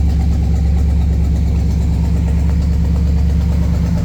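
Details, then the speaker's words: Buick 455 V8 running again after it self-destructed, idle screw adjusted, oil pressure about 70–80: deep, steady idle with even low thump, no misses, knocks or smoke; sounds healthy. "This sounds way healthier. No smoke. Really nice."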